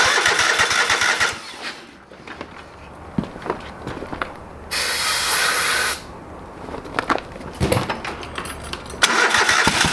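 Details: Old lawn mower being revived, first start after carburetor rebuilt and fuel added to the bowl: several cranking bursts broken by quiet pauses before it catches and runs; fired, but not right up, so reluctant to start.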